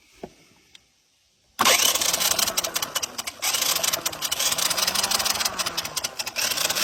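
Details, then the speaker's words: 1982 Honda Big Red 200 ATC three-wheeler (200cc), sat about 10 years outdoors, no key switch: starter jumped at the solenoid spins fast and rough for several seconds with no firing; cranks but no spark, testing to follow. "All right. So, we got no fire on the old girl, so we're going to have to start testing stuff."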